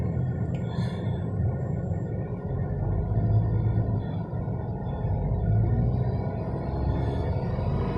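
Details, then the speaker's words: 2019 Tata Tiago XZ+ at about 3000 km, windows closed, phone near steering wheel in cabin, engine revved toward 3000 rpm: low engine drone rises steadily with revs, no knocks or rattles; normal cabin noise. "तो ये जो नॉइज़ शायद आप सुन पा रहे होंगे, ये 2000 पे इतना नॉइज़ है, 2000 के ऊपर इतना नॉइज़ है।"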